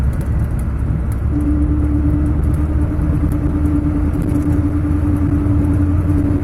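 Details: Driving in 3rd, 4th and 5th gear: steady low drone at constant pitch, mostly on throttle or engine braking, stops with clutch in or neutral, unaffected by swerving; owner suspects bearing, not hubs; hum in gear.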